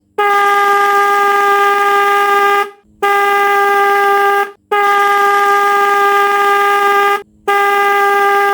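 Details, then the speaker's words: Car or bike electric horn: three long, steady blasts of a strong, clear mid-pitched tone with short gaps, causing heavy vibration; it sounds loud and healthy. "नमस्कार दोस्तों तो आपने देखा जब हम अपनी car या बाइक में हॉर्न बजाते हैं तो इतना ही ज्यादा हुसैन से वाइब्रेशन होता है"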